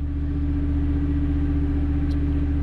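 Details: Standby gas generator, started by transfer test to confirm gas supply while a Lochinvar boiler locks out on low air: steady, even low hum and constant drone, no knocks or surges; normal running.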